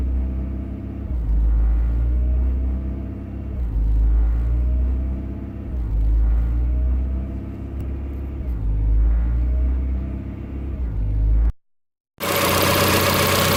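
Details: 1990 Honda Accord, customer complains idle goes up and down when warm; idle slightly high, check engine bulb removed: warm idle swells and sags in a slow, uneven hunt about every two seconds; idle surge, cause not yet determined.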